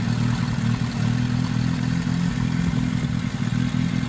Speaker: So my engine right now, you could tell is rough. So this is how you find. Okay? This is how you find leakage. Vacuum leak.